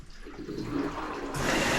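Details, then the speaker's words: LG WM2301 front-load washer, about nine to ten years old, after replacing water supply lines (the cause of low water): strong, steady hot water rush building to full flow without sputter; hot fill now working, problem solved. "and our hot water is now working Hallelujah"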